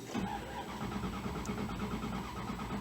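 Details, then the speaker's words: 2001 Dodge Dakota, starter load test with start voltage 11.72 V dropping to about 9 V: the engine cranks slowly and grows more sluggish without firing; the battery is faulty and the wrong one for the truck. "Yeah, you can definitely hear the engine cranking speed is going down. So basically what this tells me, guys, is this battery's junk."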